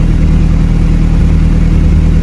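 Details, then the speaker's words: Evo 8 turbo engine after a fuel pressure fix for power loss, started with no foot on the gas: fires right up and settles to a steady, even low idle, smooth rumble, no knocks or stumbles; perfect, normal idle. "No foot on the on the gas pedal. Fires right up. Now let's see where it settles at. And look at that. That's perfect."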